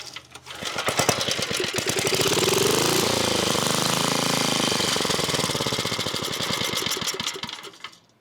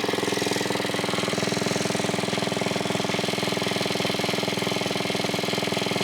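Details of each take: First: 1980s Onan (C80) generator: old engine catches and chugs unevenly, surging and faltering, then dies; owner suspects fuel starvation since spark is good and it keeps running on starting fluid, diaphragm examined. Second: 1980s Onan 1.7 kW generator after carburetor cleaning, air filter refitted: fast even buzzing single-cylinder drone at steady speed; it briefly shut off once, owner unsure why, maybe clogged again, but overall working.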